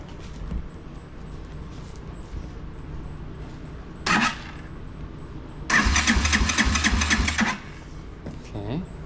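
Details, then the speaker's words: Motorcycle in neutral, key on, gravity-fed fuel: a short crank, then two seconds of even starter churning, never catching. Cranks but won't start; no fuel reaching the carburetor, and a kinked fuel line is suspected. "oh we got a kink that could potentially be why no gravity feeding stuff going on here"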